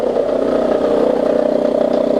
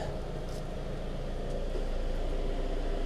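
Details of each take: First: 2002 Toyota Camry, 220k miles, after new plugs, coils, valve cover and throttle body cleaning: steady mid-pitched whine with faint rapid flutter at idle, worse with AC on; traced to belt tensioner, quiets once warmed up. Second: 2002 Toyota Camry, 220k miles, after new plugs, coils, valve cover and throttle body cleaning for low idle: quiet, steady warm idle, much improved; belt tensioner noise heard when cold or with AC on has stopped.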